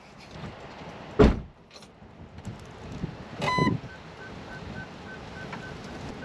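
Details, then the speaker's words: Range Rover Sport L320 in reverse after parking sensor diagnosis: after door thunks, a faint high beep repeats quickly and evenly as the owner walks in front of the sensors; sensors all working, sound coming from the right. "Right. Well, I'm walking in front of the sensors. They're all going off. It's coming from the right."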